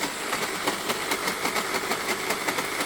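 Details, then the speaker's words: LG Cordzero A9 cordless vacuum: hissy roar broken by rough grinding stutters, about four or five a second, from hair wrapped around the brush head drive, with weak suction. "If you have an LG A9 vacuum and it's making grinding noises that kind of sound like this,"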